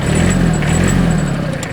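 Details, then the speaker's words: Hinomoto CX19 Japanese three-cylinder diesel mini tractor, 609 engine hours, no oil leaks. Diesel clatter climbs cleanly as revs rise briskly, even and quiet throughout with no knocks; healthy engine. "тихо, обороты набираются и поднимаются довольно-таки резво."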